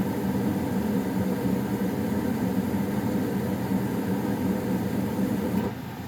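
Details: Goodman furnace being turned off: constant low hum with steady blower rush dropping off near the end as unit shuts down; owner notes popping at shutoff; normal operation.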